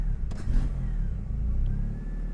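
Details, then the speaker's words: Mini Cooper with swapped DSM 4g63 engine and AWD, first test drive on a partial tune with spark advance locked at five degrees, after lean-then-rich stumbles on throttle: engine now pulls smoothly through the revs with no sputtering or popping. "at least now it's it's not sputtering"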